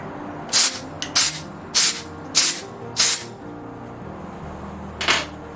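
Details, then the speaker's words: 1 lb propane cylinder being refilled from a 20 lb tank with a Gas One refill adapter, cylinder removed from adapter: six short sharp hiss bursts about half a second apart as air is vented; normal venting. "So what I'm going to do now is I'm going to release some of the air."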